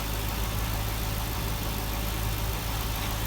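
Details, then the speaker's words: Cadillac CTS-V after replacing the AC compressor, oil change and refilling coolant, idling while the cooling system is bled, no leaks: smooth even idle with a steady low hum, no knocks, ticks or stumbles. "all right guys the car runs everything's good nothing's leaking right now just bleeding the cooling system"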